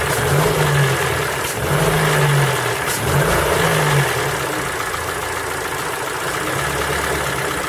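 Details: Ford Focus 3 with PNDA engine, cold: revved up and down a few times with a rough, uneven knocking under the rise and fall; cold-start knock, cause unclear.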